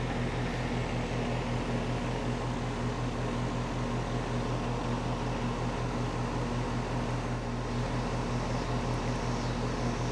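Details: Home A/C condenser with a rebuilt compressor sound blanket installed, mic right up close (about 74.5–75 dB max): smooth steady hum under fan rush, no knocks or rattles; healthy.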